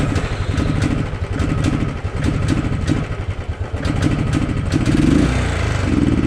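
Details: Royal Enfield Thunderbird 350 single with poor pickup and mileage: thump picks up unevenly on each blip and sags before climbing; a dirty carburetor causes bogging, resolved by carburetor cleaning.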